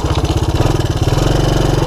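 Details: 1984 Honda ATC200ES Big Red single-cylinder ATV on a 12-volt DC CDI ignition upgrade, idle mixture opened about one and a half turns after poor running; steady low thump settling into an even rhythm, no misses, normal idle.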